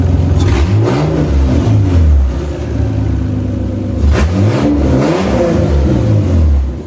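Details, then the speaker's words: Toyota Cressida MX83 on a new temporary exhaust, cold start: pitch wavers through throttle blips and settles unevenly into a rough idle with good oil pressure; owner suspects distributor adjustment is needed. "The idle's a little rough. I gotta mess with the distributor a little bit more, just because once it sits for a while, I guess it's not happy about the way it's sitting."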